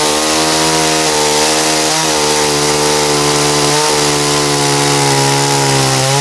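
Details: Dolmar chainsaw after carburetor cleaning and H/L screw adjustment, max speed set about 12,350–12,400 rpm, test cutting: strong high-revving drone dipping under each cut and recovering cleanly; saw pulls well, runs healthy.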